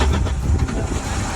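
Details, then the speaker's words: Shae's car running smoothly just after she replaced the fuel pump and fuel line herself following a breakdown, with air in the line at first; steady low engine rumble with no misses, knocks or stumbles, sounds healthy: normal running. "Sounds like it's going. That sounds nice, huh?"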